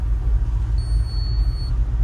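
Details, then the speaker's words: 1965 Ford F100 on Crown Vic frame with LS engine, selected into reverse: single high electronic chime about a second long over low engine rumble; warning chime likely tied to tuner's deletes, not confirmed, with pump and systems working. "see it's going crazy and it's going to keep doing that for a couple minutes"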